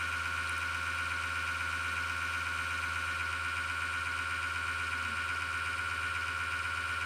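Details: Desktop PC power-supply fan with a bad, worn bearing: a steady whirring hum with a rough buzzing edge and faint regular pulsing. The grinding returned after 5 years, following slowdown and clicking/rattling, and the case vibrates.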